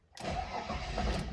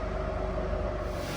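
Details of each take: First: Mercedes W124 after six weeks standing in a shed at 40°C or higher; long cranking with fuel pump audible, engine struggles and won't catch cleanly; air bubbles in the fuel tank, owner suspects vapor lock; hard start. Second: Mercedes W124, recently restarted after sitting six weeks, idling while being moved after fitting refurbished monoblock wheels: steady, even low hum with soft regular beat, no misses, knocks or ticks; runs smooth and healthy.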